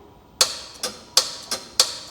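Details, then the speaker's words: 1986 Chevrolet Monte Carlo SS, AC system fully charged, compressor hot-wired straight to the battery: three crisp clutch clacks with release clicks show it pulls in cleanly, so the compressor is fine and the fault lies elsewhere; normal AC compressor clutch engagement. "hear that? That's the compressor engaging. So the problem is not this compressor."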